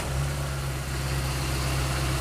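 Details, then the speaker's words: Mitsubishi Maven: idle-up for the AC was added with an air control switch on the intake manifold. With the AC on, idle now holds steady around 800 rpm with no sagging or stumbling, where before it dropped. "Hai itu rpm nya 800 kehidupan aslinya tuh masih 800 jadi ditahan 800 ya seperti itu Jadi enggak terlalu ngedrop banget ini ada bantuan udaranya"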